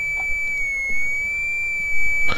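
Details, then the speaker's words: 1925 RCA Radiola Model 100 speaker on a sine-wave generator, rare-earth magnets added to its magnet, possible in-line capacitor suspected; thin steady high tone reproduced faintly with very limited range. "yeah I can hear the high ones too yeah it's just it's got a very limited range"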